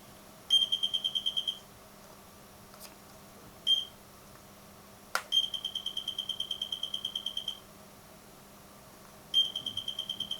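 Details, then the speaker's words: 1990s infrared receiver tester, bought in the 90s, after repair now fully connected: short bursts of fast, high, evenly spaced beeps come and go as the signal arrives; the receiver responds properly and works normally again. "Okay, this is the sound that I want to hear. Now probably it can work another 40 years."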